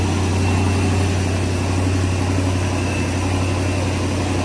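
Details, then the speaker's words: Oldsmobile Cutlass engine idling: rough, uneven low idle with raspy puffing edge over the rumble; known exhaust leak, also needs valve covers. "I know it needs valve covers, it's got exhaust leak, all kind of just minor stuff, nothing major so far."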